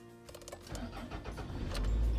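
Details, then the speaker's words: Van restarted after sitting about three weeks and a flat-battery episode: short crank, engine catches straight away and rises into a steady run; normal start. "Yes, okay na uli siya. Thank you."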